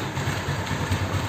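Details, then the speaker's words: Honda Beat carburetor scooter after replacing the valve rocker arms and pin: a soft, even low putter at idle with no ticking or tapping, quiet again where it was noisy before; the valve train sounds quiet and healthy. "suara motor ini adem banget kagak percaya ini sekarang bisa adem lagi nih motor suaranya mantap Lur"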